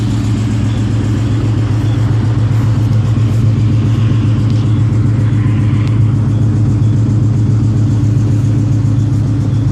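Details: Mustang at idle after coming out of work: a steady idle rumble with a faint, light clicking about three to four times a second. The source of the engine clicking is unknown and the owner is asking for help.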